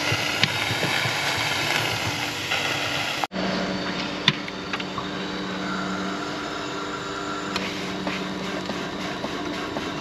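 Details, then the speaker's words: 4-inch Foster steam traction engine on a winter steam test after new boiler tubes; feed pump run, with light irregular clicks over steady steam hiss and clatter as the clack valves seat normally. "try the pump you can hear the claps working"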